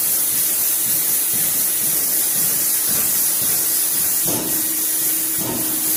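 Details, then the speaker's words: Norton sanding station dust extractor, set to manual, used while sanding body filler on a BMW: a loud, steady rushing hiss with dull thumps as the thumper wand strikes the filter to clean out fine particles. It is running normally. "that noise you hear the thumping sound is a thumper or a wand that hits the filter and cleans the filter of this fine particle"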